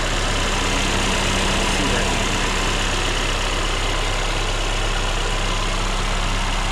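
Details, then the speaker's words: 2020 Mercedes-Benz A35 AMG, direct-injection engine about 340-350 hp, carbon intake and downpipe, recorded in the engine bay: steady, even idle with low hum and a quick light injector tick; a bit loud by nature but healthy idle. "is obviously a direct injection engine, so this sounds a little loud and sticky, but let's just make these things."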